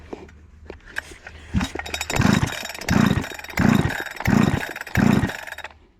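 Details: Husqvarna 288XP chainsaw, self-rebuilt with a new cylinder and piston, with the high-speed screw adjusted: repeated full-throttle bursts scream high and clean without four-stroking. It is running lean, which risks scoring the cylinder.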